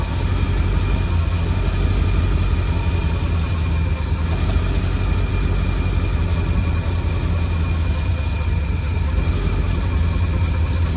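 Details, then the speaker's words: 1952 Cadillac Series 62 barn-find V8, revived after decades of sitting, idling warmed up: a deep smooth idle with a thin steady whir on top. "But, after it warmed up, seems to be running pretty good. There's just that whirring. If it weren't for that whirring sound, it'd be it would sound beautiful."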